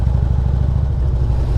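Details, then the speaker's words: 2016 Harley Limited V-twin: short rapid metallic brrrr rattle over the deep rumble, forced on demand. Compensator rattle, not crank, motor mount or wrist pin. "did you hear that little brrrr? That's not a crank knot. It's not a loose motor mount. It's not a wrist pin failure. It is a compensator."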